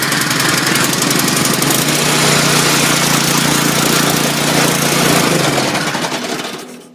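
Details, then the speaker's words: Nearly new snow blower with a small Chinese single-cylinder engine: it buzzes along at a steady, even pace with a firm exhaust note, then shuts off. Normal running. "that's it fires up runs good it's got a little Chinese engine on it eventually when it blows up I'll replace it with the Briggs"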